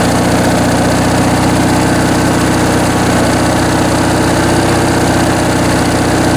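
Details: Briggs & Stratton 19.5 hp opposed-twin riding-mower engine on a bench test after sitting in storage, with a rebuilt carb and stripped main jet removed: steady, even low drone with no misses; settles into a clean, healthy idle.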